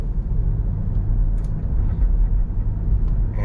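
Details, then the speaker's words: 2012 Dodge Durango Citadel test drive after greasing a rear CV axle that popped: steady low road rumble from the rear with no pops or clicks so far; normal driving. "and so far so good. It seemed to have improved. I haven't heard any popping coming from the rear yet anyways."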